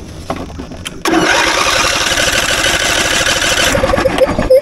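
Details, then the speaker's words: Lawnmower that sat for a while with its battery at 4.01 V, boosted to 15.2 V by an Andeman E-P155 jump starter: starter spins the engine steadily with an even churning rhythm but never fires. Cranks, no start. "tell you what though I'm really impressed cuz I'm cranking this thing over a lot"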